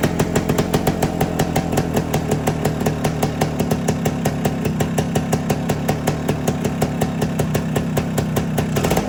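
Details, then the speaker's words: 1973 Suzuki TS250 Savage two-stroke single, barn find after 25 years, oil flow confirmed, on regular gas before first ride: crisp, even popping at a steady fast beat, no misses or rattles; normal running. "seems to be running well. Let's see if this thing will go in gear."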